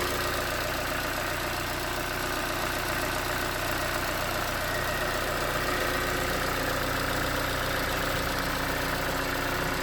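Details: 2019 Hyundai Tucson 2.0L GDI Nu, 24,000 miles, Mobil1 5W-20 with under 1,500 miles on it, cold idle: light rapid tapping knock over the engine note, suspected piston slap; switching to 5W-30 later made it only a little better.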